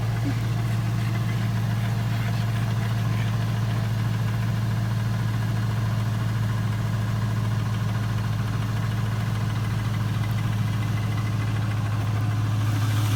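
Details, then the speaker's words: Chevrolet Tahoe, long family-owned, after exhaust, intake and computer tune; low steady V8 idle with even unbroken beat, no misses, ticks or knocks; running good. "We'll take it for a ride here in a minute and see how it does, but it sounds like it's running good."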